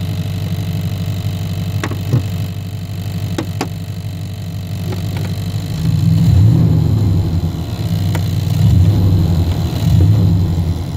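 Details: 1990 Chevrolet K1500, 5.7L V8, automatic, idling, heard inside the cab with carpet removed: faint rapid ticking from a fuel line touching the floorpan and firewall; fixed by bending it away.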